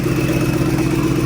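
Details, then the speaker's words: Rebuilt supercharged engine at idle: steady running with a thin constant whistle from a remaining exhaust leak; the earlier loud ticking is gone. "still have that exhaust leak right here but it sounds a lot better if you guys remember that loud ticking noise that was coming from here now we only hear the whistling which sounds about right"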